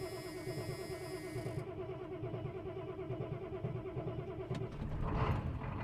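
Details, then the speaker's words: 1989 Ford F250 7.3 IDI diesel idling just after a cold start following eight or nine days sitting: even, steady clatter about three beats a second, no misfire or knock; healthy. "I love this damn truck just listen to this [Applause] thing I ain't started that thing in probably eight or nine days oh it's gorgeous absolutely gorgeous"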